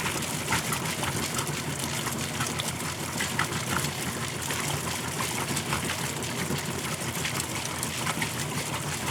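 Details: Kenmore washer that stopped halfway through the wash cycle after sitting about 6 months, tested with the broken lid switch bypassed: steady hum under rushing, gushing water; draining and pumping out normally.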